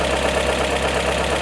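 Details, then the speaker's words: Pushrod Volvo B18/B20 engine in a 544, started with cover back on after valve adjustment: steady idle with a light, even sewing-machine tick and no heavy knocking; well-adjusted valve rocker assembly. "It kind of sounds like a sewing machine. If you want to take a listen there. That's a well-adjusted valve rocker assembly."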